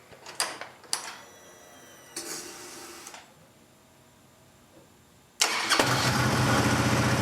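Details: 2008 Harley-Davidson Road Glide, start after fuel filter replacement: a few clicks and short crank, then the twin settles into a steady even idle with no misses or knocks; everything working correctly.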